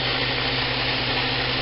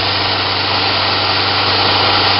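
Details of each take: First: Homemade 2x72 belt grinder on a metal table with no rubber feet, speed varied from 1 to half speed: very quiet, constant low motor hum under even belt hiss, tracking well; smooth, healthy running. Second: Newly built 2x72 belt grinder at top speed setting 10, sitting on a bare metal table with no rubber feet: steady high-speed whir with a buzzing hum from slight vibration resonating through the table, which rubber would eliminate.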